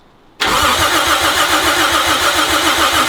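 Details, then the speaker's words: Old Toyota FJ40 Land Cruiser, sat about 40 years, new points, 8 V at coil: steady starter cranking at about 3.5 compression pulses per second, never firing; no spark, no fuel or points gap too wide suspected. "so why do we have no Sparky points brand new I know what's wrong with it ain't got no gas in it"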